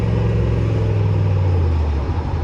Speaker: It's running damn smooth. It's running a lot smoother, man. I must say, it's running a lot smoother. I don't hear that little faint mist that I was hearing.